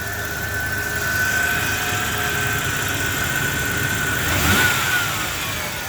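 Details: 1990 Ford Ranger XLT 4x4 SuperCab, 2.9 engine, running after oil change with additive that quieted a common valvetrain tick; starter failing. Steady high thin whine over the engine, rising and falling with revs; whine under load, source uncertain, cause suspected, not confirmed.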